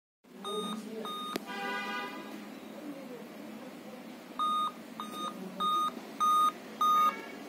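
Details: Dell N5010 laptop at power-on: five evenly spaced short high beeps over steady fan hiss; 5-beep code for failed CMOS battery.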